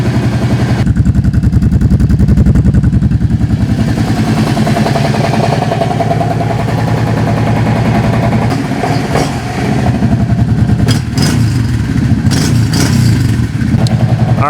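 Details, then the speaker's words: 2005 Kawasaki Prairie 700 ATV's first start after years sitting, following a rebuild with new clutch and jet kits: after 30 seconds to a minute of cranking it runs with an even, steady thump and crisp throttle response; running normally, jetting appears right. "cranked on it i don't know probably 30 seconds a minute got it going and it sounds like it's got good throttle response everything"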